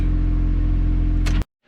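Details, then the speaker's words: Chevrolet Cobalt SS, freshly completed build with only a couple hundred miles, not yet dyno tuned: steady, even low rumble with no misses or knocks, then clean shutoff; seems to run great, slight tailpipe smoke probably from residual cylinder oil. "um but yeah it seems to be working fine um seems to be working great"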